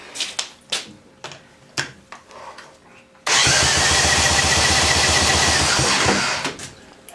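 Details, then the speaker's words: 1972 Evinrude 18 HP Fastwin outboard that sat for years, dry compression test of the bottom cylinder with nothing squirted in: fast, even cranking pulses, each strong and alike; reads about 119 psi, good compression. "feels like it's got some one say 19 now this is dry also I've not squirted anything into these cylinders so this is as it came to me"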